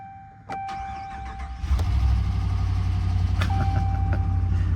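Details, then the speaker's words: Flood-damaged 2016 Lexus RX 350, 36,000 miles, started on a jump pack: short crank, catches at once, steady even idle with no knocks or misses; engine sounds smooth. "Engine sounds smooth though. Engine sounds smooth. It did, it started right up once we got that power to it"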